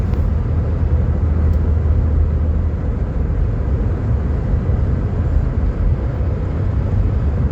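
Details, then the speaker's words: 2008 Nissan Quest minivan driving after replacing a seized CV axle and hub: steady, even road rumble with no clicking, grinding or rhythmic thumping; all vibration and noise gone. "This thing is doing a whole lot better. It's uh all the vibration, all the noise is gone."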